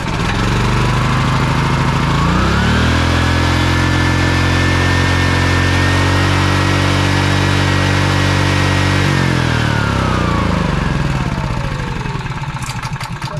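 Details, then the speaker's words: Honda EB3800X generator, GX240 8 hp engine, just fitted with a replacement carburetor, started on choke: engine note climbs sharply and holds far above normal governed speed, then drops back; overspeed, governor suspected of sticking. "It shouldn't go that high for sure, Definitely shouldn't. It was sounding pretty well high as far as the RPMs went."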